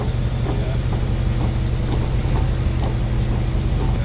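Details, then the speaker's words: Wrecked Mercedes G63 AMG being rebuilt, while driving: heavy low drone with an uneven knocking about three times a second underneath; differential suspected failed. "Do you know the only thing I don't like is the door noise. It's like, why is it so loud? Oh, I think it's the diff."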